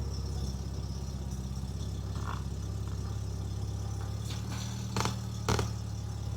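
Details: Mk2 VW Golf GTI project car, engine run to work the brake servo during brake fluid leak checks: smooth, even low idle with steady beat, no knocks or misses apart from a couple of nearby clicks; healthy idle.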